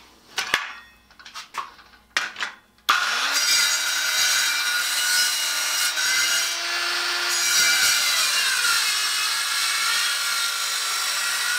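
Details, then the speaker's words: Craftsman 7-inch electric hand saw model 315.27802, rated two horsepower, with a sharp blade, cutting 2¾ x 3¼ inch white pallet oak 2¼ inches deep: spins up and holds a steady high whine without bogging; healthy saw. "now that's a nice saw a good sharp blade cut two and a quarter inches into that white oak"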